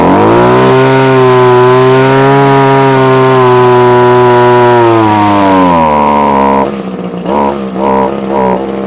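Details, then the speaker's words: Probably early-1980s Komatsu Zenoah Pro 26 two-stroke strimmer, off choke after hard start; holds high revs briefly then sags and surges unevenly, rough running that wants carburettor work, no tuning screws visible. "oh oh well it's doing something so it is actually doing something what it wants it wants a bit of a tune now"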